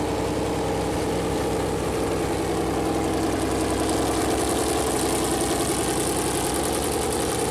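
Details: First start of a freshly built Chevy Performance 454 big-block V8 on a run-in stand: steady, even, lumpy idle with a low beat around 158 per minute, no knocks or ticks. Normal idle; the oil-gauge plastic line later leaked after hitting the headers.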